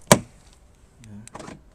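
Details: Volkswagen Golf door that would not lock, after fix; sharp single clack from the lock, short whirring motor run and clunk as it cycles; actuator locking normally.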